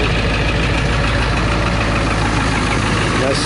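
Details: 2000 Ford F350 7.3 Power Stroke diesel near half a million miles, cold start in upper-20s weather without a glow plug relay: deep, even clatter at a steady idle with no misses, knocks or hunting; healthy.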